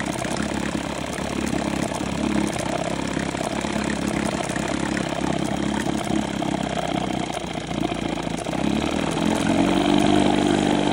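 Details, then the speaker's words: 1972 Johnson 6R-72D 6 hp outboard running: faint, irregular click-click ticking over engine buzz that comes and goes; owner suspects a cracked coil arcing to the flywheel. "you hear it do this weird click click click click and then it'll come back into it and then click click"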